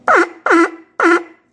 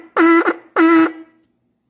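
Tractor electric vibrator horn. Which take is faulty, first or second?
first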